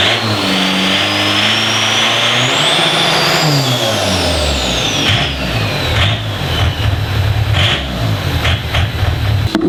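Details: Diesel in a DervBus project after initial timing setup, warm, extractor on; revs up, falls back and settles into an even steady run, no knocks or misses — normal running.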